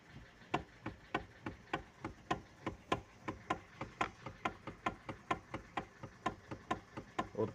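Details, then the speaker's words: Kia Cee'd 1 facelift: sharp, even clicks about three per second with a faint background as the steering wheel is rocked slightly left and right, only with the engine running; owner suspects electric power steering coupling or its elastic star insert, unconfirmed. "Ребята всем привет вопрос конечно обсуждался наверное тысячу раз но у меня он первый в руле стук вот такой появился если услышно слышно будет"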